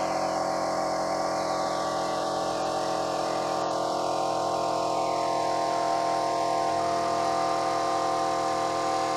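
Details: Kraftdekker KD-50L compressor filling its 50-liter tank, reaching 8 bar in about 3 min 19 s: steady constant-pitch motor drone, no knocking, stalling or labouring; normal running.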